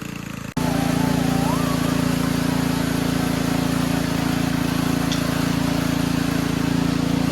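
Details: Simplicity Serf single-cylinder engine after carburetor cleaning, riding under load; steady, even beat about four a second, no surging or sputter, running healthy.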